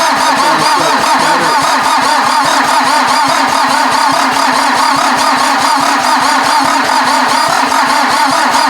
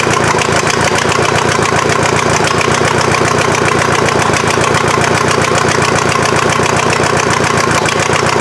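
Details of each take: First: VW diesel in an offroad Mazda cranked on jumper cables from a truck to the starter, no battery: steady cranking about seventy beats a minute, never fires; number one glow plug missing. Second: VW diesel engine swapped into Mazda off-road truck, first start, injection pump still needing adjustment, some smoke: steady diesel clatter at idle, about four pulses a second, fairly even, running without stumbling.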